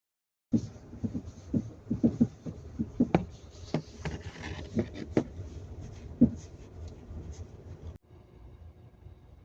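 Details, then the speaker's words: Lada Vesta NG at 6,000 km, front left suspension: irregular sharp metallic clunks over bumps, a few per second, easing on smoother road. The dealer diagnosed worn anti-roll bar rubber bushings, and the anti-roll bar is to be replaced under warranty. "при пробеге 6.000 км появился металлический стук в передней подвеске с левой стороны приехал к дилеру 10 декабря провели диагностику вынесли вердикт требуется замена стабилизатора поперечной устойчивости так как проблема с резинками"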